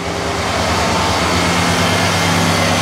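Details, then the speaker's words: Neglected Caprice after new distributor internals, restarted so the check engine light clears: steady even hum with no misses or knocks, fast idle near 1100 rpm that settles toward 900; IAC and TPS working. "we'll shut it off we'll restart it check engine light goes off it's running fast or you can hear it"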